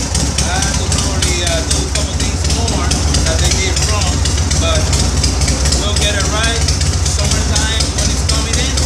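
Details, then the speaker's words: 1983 Shovelhead motorcycle after primary chain and oil-leak/oil-hose repair: loud, steady loping V-twin idle with a low, even beat and no knocks or rattles. Normal, healthy idle. "And this is how it should sound like. Sounds nice. Crank it up. Normal. Love it."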